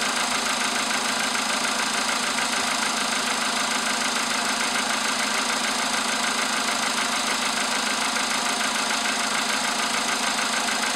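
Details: VW Polo sedan with CFN petrol engine, started in the morning after a night at about 10°C outside: fast, steady tapping about three a second over the cold idle; engine knock, cause unknown.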